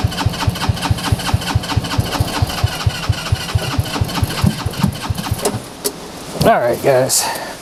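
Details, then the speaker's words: Kids' TW200 Trail Wagon Runabout 4x2 UTV, fuel lines reconnected: slow, even cranking at about two turns a second that never catches or fires; no start, owner suspects gummed-up, clogged carburetor, a common problem on these. "I think that's enough um we're gonna pull that carburetor and that's a it's a common common problem for these things"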